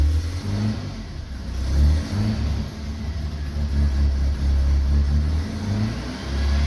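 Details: BMW E36 Compact 316i 1.9 M43B19, won't hold idle and stumbles at low rpm, plugs found black from rich mixture, refitted after cleaning: lumpy note rising and falling unevenly when revved, uneven low-speed pulse; misfire persists, cause unconfirmed.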